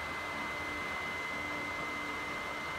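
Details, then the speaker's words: PS4 CUH-1001A/1115 console fan running very loud with a high constant whistle; dust build-up clogging the heatsink causes overheating and shutdown with a too-hot message after 30–40 minutes. "so what happens is the system runs really loud you can hear the fan this video here I'm sure you can hear it it gets really loud sounds like it's about to take off it's like super super loud"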